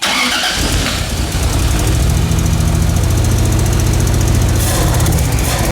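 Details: 2JZ-swapped Nissan 240SX, test start after swapping in a known-good igniter, ECU and coil: engine fires, then runs with an uneven, stumbling low beat about four lumps a second instead of a smooth idle; persistent misfire, timing suspected, not confirmed.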